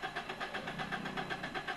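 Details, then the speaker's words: Suzuki Alto (2021; thought to be a 2019/20 model) long-cranking without the accelerator pressed: steady rhythmic cranking at about eight pulses a second, never catching, and DTC P0336 appears. Crankshaft position sensor signal is disrupted by bent reluctor teeth. "ابھی میں اسے سلف لگاتا ہوں اور دیکھتے ہیں بغیر ایکسیلیٹر جو ہے نا پریس کیے نہیں ہوئی سٹارٹ کوڈ جو ہے نا ابھی ا جائے گا پکی بات ہے نہیں ہوئی سٹارٹ لانگ کریکنگ ہے"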